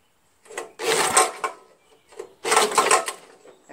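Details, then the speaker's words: Jacobsen Imperial 26 two-stage snowblower with 6 HP Tecumseh engine, found in the trash: two slow recoil pulls with loose metallic clanking and rattling inside. The spark plug was found loose, compression is still felt, and the owner suspects a broken connecting rod. "sound seems funny doesn't it something's rolling around or something you take spark plugs out that was not even tight at all I think the connecting rods busted I can hear something switching around in there like it's busted here yeah it's definitely something busted in there"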